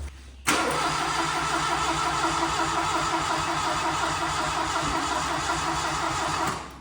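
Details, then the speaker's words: 1981 Plymouth Reliant/Aries K 4-speed sitting 35 years, throttle found stuck open, ether tried: steady even cranking for about six seconds that never catches; crank no start, probably flooded, coil voltage issue also suspected. "I think it might be flooded. There's always that sounds. Squirting ether in it doesn't help when it's flooded."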